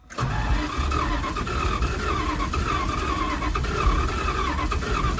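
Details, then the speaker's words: 1978 Dodge W100 Power Wagon that fired briefly and then quit; coil, carburetor and other ignition parts already changed: the starter cranks with an uneven, lumpy rhythm, some strokes catching compression and others spinning free, and it won't fire. A timing chain is suspected. "Sometimes it sounds like it has compression and wants to fire. Sometimes it doesn't."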